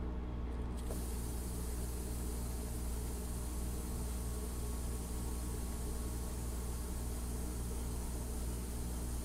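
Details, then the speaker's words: Woodworking vacuum bag pump running: steady even hum with fast regular pulse, reaching 22 inHg with needle steady; no vacuum leaks. "so here we are at 22 in of mercury and the needle is steady so that means we don't have any leaks"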